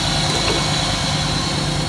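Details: 1992 Trans Am first start after sitting about a year and a half, fuel confirmed reaching the rail, with unburned fuel from long cranking: a steady, even, slightly loud idle with a low hum and no knocks or misses; normal idle.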